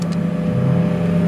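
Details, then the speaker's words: Heat pump circulation pump, insulated, in freezing weather with water at the bottom, ice suspected: steady low electrical hum with no spin-up, pump motor powered but impeller seized; heating cords needed. "voilà voilà le problème donc cette pompe là elle est encore bloquée"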